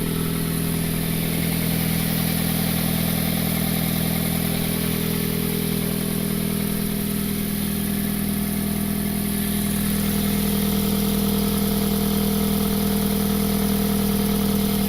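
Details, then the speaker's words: Car started cold after sitting a few days in snow, idling with a rhythmic puffing tick about four per second over the engine note; exhaust leak from a broken flex pipe. "that exhaust leak is really making the car sound really old and not as good as it"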